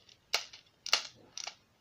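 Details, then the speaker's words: Hi-cap airsoft magazine (metal AK47/AKM 525-round) being wound with few BBs loaded: three sharp dry clicks about half a second apart, showing the spring has reached maximum winding; further winding can damage the internal gears. "Donc là, ça veut dire qu'on atteint le seuil maximal de moltage. Donc là, on évite de faire par contre ce bruit, parce que ça peut endommager le système à l'intérieur d'engrenage."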